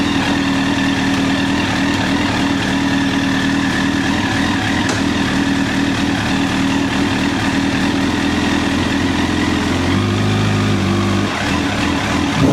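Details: 2009 Honda CBR1000RR Fireblade at 61,211 km, started with a jump pack: steady even idle with smooth buzzy note, clean blip near the end; engine runs properly.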